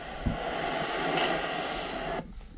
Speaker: in this case I'm going to turn down the sensitivity and we clearly have a major leak right here